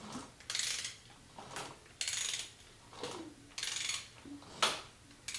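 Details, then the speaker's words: 1959 Harley Ironhead Sportster engine after transmission, clutch and primary assembly, turned over slowly: a sharp metallic click comes unevenly about every second, an internal click while cranking, cause unclear. "There's some weird noises coming from this engine. That noise I was talking about before. Something doesn't sound right."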